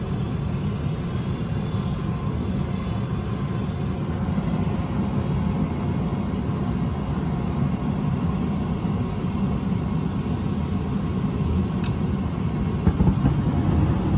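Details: Johnson Controls/Unitary Products residential gas furnace that had ignition retry lockout (seven flashes, flame out after 3 s), running after the flame sensor service; steady low burner and blower rumble, no surging; normal running.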